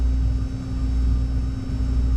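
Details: Older belt-drive furnace blower, after maintenance on a no-heat call where the blower would not move, belt tension checked: steady even low hum, one constant tone, no squeal or rubbing. Normal blower operation.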